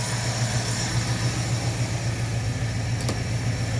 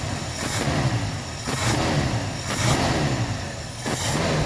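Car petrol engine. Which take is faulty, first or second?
first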